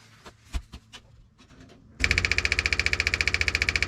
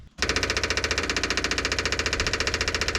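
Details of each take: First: '57 Chevy being refitted with a cleaned, rusty fuel tank: scattered clicks, then the electric fuel pump's sound changes to a rapid, even buzzing pulse as it starts sucking fuel while priming. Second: Electric fuel pump running dry on a '57 Chevy Tri-Five after fuel tank cleaning and reinstall with about five gallons of gas: loud buzzing chatter, two to three pulses a second, never quiets. Owner suspects the line needs priming.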